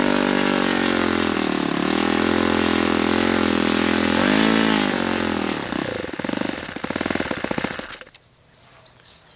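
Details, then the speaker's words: Saito FA-91S model four-stroke glow engine on a test stand, chilly ~60°F day: revs rise and sag unevenly, stumble and cut out after about eight seconds; surging, owner suspects a fuel delivery problem in the carb after finding no blockage. "Sure seems like a fuel delivery issue. Doesn't it seem like a fuel delivery issue? There's got to be something happening with this carb."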